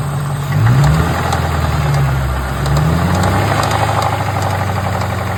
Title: What is that ticking noise ?